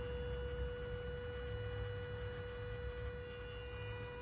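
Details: 2010 third-generation Toyota Prius: steady, even buzzing hum with fixed pitch over a low rumble, never changing; owner says always present but louder now; source unclear.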